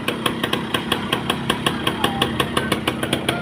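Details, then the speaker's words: 1990s Yamaha Belle (likely SL), probably 100cc with a hand clutch, some parts missing but the engine judged good: a crisp, even single-cylinder putter at about five beats a second, steady and unbroken, a normal idle. "คันนี้เครื่องถือว่าดีอยู่นะครับชิ้นส่วนหายไปบ้างตามกาลเวลาแต่โดยรวมแล้วก็ถือว่าโอเคนะครับ"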